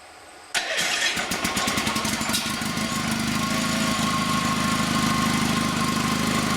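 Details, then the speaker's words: FF/18 vehicle's replacement two-cylinder liquid-cooled Honda engine from a tractor, first shakedown run on a temporarily hooked-up wiring harness: quick crank, fires right away, then a steady, even putter at idle with no misses or rattles. Normal. "we want to just see it run make sure everything is going to stay but you know just give it a shake down run so ready thing always fires right up right away"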